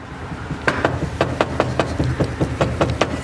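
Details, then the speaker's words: Argo ATV engine, 471 hours, loose component visibly moving the belt: uneven sharp knocks, two to three a second, over low rumble; bearings shot, worn main bearings. "that's the exact noise so what that means is the uh bearings on this thing are shot"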